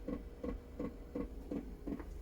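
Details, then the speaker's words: Workshop diesel heater starting up normally: soft regular ticking of about three clicks a second from the fuel pump dosing, over a faint hum as it starts and runs. "Good old diesel heater cranking back in."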